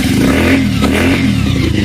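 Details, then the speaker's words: Bajaj Pulsar 180cc motorcycle just reassembled after gearbox repair, first start: loud raw open-pipe bark at a steady fast idle, even firing with no knocking or grinding; normal idle, noise only because the exhaust is not yet fitted. "ইঞ্জিনটাতে একটু আওয়াজ করছে, একজস্টটা লাগাচ্ছে, সেই জন্য একজস্টার জন্য কিন্তু আওয়াজ করছে। তো এমনিতে আমাদের সাউন্ডটা ঠিক আছে।"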